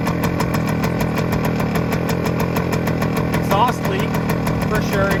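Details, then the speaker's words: 1971 Suzuki TS185 two-stroke restarted after years sitting, very cold, on choke and smoky: uneven idle with a sharp raspy puff at every firing pulse; known gnarly exhaust leak. "all right so she is running again we definitely have really gnarly exhaust Le we knew that though that's okay"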